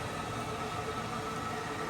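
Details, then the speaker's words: Power-vent water heater after replacing a hazardous hack-job install, first power-up: inducer motor kicks on blowing outside, smooth whooshing fan hum with faint steady tone, no rattle or scrape; normal. "Turn it on, and I'll go to B. And we get our inducer motor kicks on"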